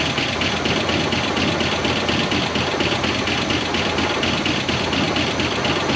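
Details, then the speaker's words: 1969 Buick Wildcat V8, barn-stored 26 years since 1998, idling after its first revival with coolant very low and the water pump weeping: even, busy idle with a steady beat and no heavy knock underneath; engine running well. "but this thing is alive and it is a runner and it sounds pretty darn good"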